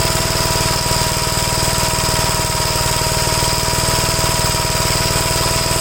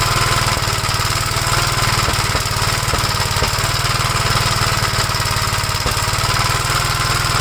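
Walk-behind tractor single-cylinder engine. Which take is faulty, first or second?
second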